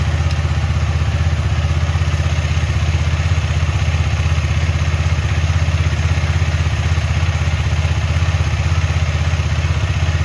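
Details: KTM Duke 250 on paddock stand, rear wheel spinning after chain cleaned with Motul cleaner, WD-40 and brush and lubed with Motul chain lube: steady even drone, no chain clatter; quiet chain after lubrication.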